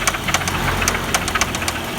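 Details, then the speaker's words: Audi 1.8T AEB engine at idle: sharp irregular ticking knocks, owner suspects hydraulic lifters; chain tensioner checked and new, oil pump recently replaced; cause still unknown. "Непонятно, стучит как-то двигатель. Похоже на гидрокомпенсаторы."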